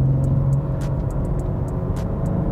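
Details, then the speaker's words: BMW M2 under light driving with exhaust valves closed: deep, even, muted low rumble without rasp or rattle; normal exhaust note, owner says opening the valves makes a huge difference. "Tím se mi i otevřily vejfukové klapky, které jsem si ze začátku myslel, že to fejkujou a že mi to hodně posílají dovnitř."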